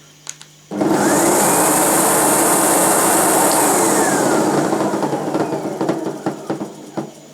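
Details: Sebo Professional G1 upright vacuum after reassembly with belts refitted: loud steady roar with high hiss and rough flutter underneath; abnormal brush drive noise persists after repair, owner suspects defective belt, cause not confirmed.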